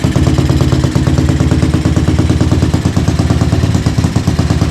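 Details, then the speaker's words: Tao Tao 250 YFZ quad with new engine, aftermarket exhaust, after tuning: starts and settles into a steady even idle with deep burble, no stumbling or backfire; running properly. "Okay, so key on. That's how it should sound."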